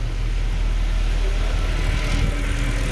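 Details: 2013 Mercedes C63 V8, 100k km, after throttle bodies refitted, fault cleared and battery replaced: cold start idle, deep steady even rumble with no knocks or ticks; running smoothly, normal healthy idle.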